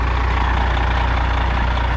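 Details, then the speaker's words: Cabover diesel truck "Betty White" idling after starting and moving: deep, steady diesel clatter at constant low idle, even firing, no misses; the engine runs healthy. "if anybody's interested in this truck it does run it will move so that's betty white"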